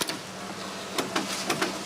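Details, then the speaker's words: Sanyo Betacord Beta VCR with a tape: quiet mechanism whir with a few sharp, irregular clicks, roughly three or four in two seconds, slipping and failing to play; idlers or belts are suspected. "Sounds like one of those logic control tape decks with bad belts, just clicks and it slips. Doing the same thing, so check idlers, check belts."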